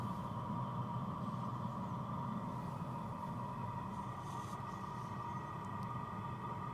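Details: New BougeRV diesel heater, warmed up and drawing about 100 W at startup: steady even exhaust rush with no fuel pump ticking. Runs normally; no exhaust muffler fitted, which should quieten it.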